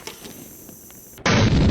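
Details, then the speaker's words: Gaming PC with older ASRock board and i3-8100 that shuts off when loading games: quiet, then a sudden loud, harsh steady hiss from the power supply, which sounds like it is failing. "This thing is probably on the verge of frying itself, as the power supply in here is making this insane hissing noise."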